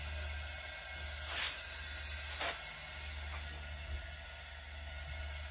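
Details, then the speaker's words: Honda Prelude 2.2L leak-down test at 75 psi after valve lash adjustment: a constant airy hiss with faint clicks, and air heard from the valve guides and the dipstick tube. Possibly rings or valve seals, unconfirmed. Air hiss on cylinder leak-down test. "I can hear it from the from the dipstick tube too so stick my ear on the dipstick tube so I could hear the air coming out from up here from the from the guides and I could hear a little bit of air coming from the tube"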